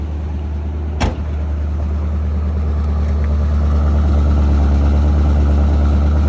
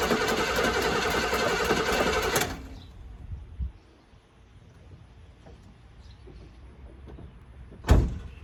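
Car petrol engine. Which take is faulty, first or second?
second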